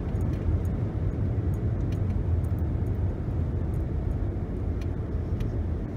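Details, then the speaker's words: 2011 Nissan Rogue (front-wheel drive) after replacing the wheel hub, coasting down from 60 to 30 mph: steady low road rumble, no growl or hum, no vibration; bearings normal, car significantly quieter. "I don't really hear a hum or a sound like I'm in a jet plane or a buzz. It seems like it definitely fixed the problem, replacing the wheel hub."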